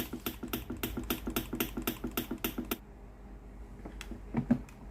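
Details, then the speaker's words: Philips PSG8160 steam iron that powers on normally but gives no steam. Sharp, regular clicking at about four a second comes from the water pump, then quiet. The pump works, but the boiler heating element is open, so no steam. "Van nước phải hoạt động, nhưng không có hơi nước thoát"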